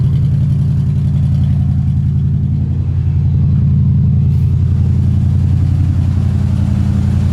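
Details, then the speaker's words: Old junk truck started after months sitting: deep idle with an uneven, stumbling beat, roughly four lopes a second, instead of a smooth hum; one cylinder down, owner suspects a rear cylinder; misfire. "yeah yeah so you hear that we're gonna be we're gonna be we're gonna be we got a cylinder that's down it's looking like it might be this one in the back here"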